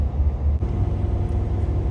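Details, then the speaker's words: 1985 Chevrolet Caprice Classic, 5.0L 305 V8, ~152,730 miles, cold start and idle after EGR valve replacement (previously low, rough warm idle and stalling): starts right up, deep, even rumble with no misses, knocks or ticks; normal idle. "okay so starts right up let it idle for a little bit warm up and see how it performs"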